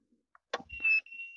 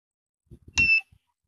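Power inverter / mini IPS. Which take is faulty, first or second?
first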